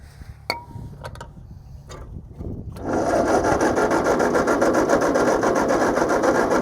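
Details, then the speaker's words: Tractor with a rebuilt engine, fuel confirmed and switches on, cranked with a little throttle: steady cranking at about four beats a second with no catch, though it almost fired. Cranks but won't start; owner later suspects flooding. "come on babe got a little bit of that right there that almost wanted to go didn't it come on baby come on"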